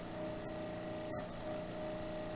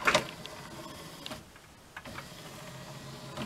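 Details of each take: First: NAD M5 SACD/CD player mechanism after disc cleaning: steady whirring from the spinning disc with a couple of faint clicks; loud when the clamp puck doesn't seat well, fine when it sticks properly. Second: NAD M5 SACD/CD player after cleaning the dirty tray and disc mechanism and fitting the tray belt: soft whirring with light clicks while reading the disc, the earlier grinding gone; normal quiet disc reading.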